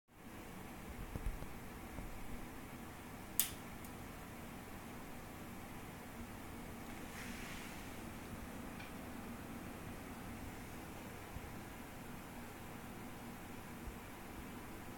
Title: Enthoo Luxe making creaking/popping sounds on its own